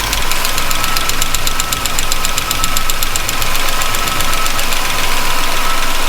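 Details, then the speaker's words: Chevy truck after valve lash adjustment, running with very low oil: sharp, even ticking about six times a second over a steady idle, traced to one side; valve lifter noise, not a loose valve. "that's just valve LIF noise that's not a loose valve per se"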